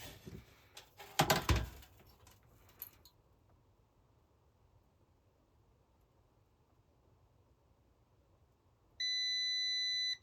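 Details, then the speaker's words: Multimeter continuity test on a Supersonic pinball board, checking legs after swapping in parts from another board: after handling, one steady high tone lasting about 1.5 seconds; continuity beep, good connection. "I do not think we have a connection. Okay, we do. I was holding on the wrong one."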